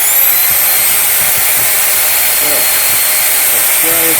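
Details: Small motor of an old bag-type vacuum cleaner after repair, running at full speed with no speed control: a steady, even high-pitched whine with no grinding, rattle or clicking, and no commutator sparking, so the motor runs healthily.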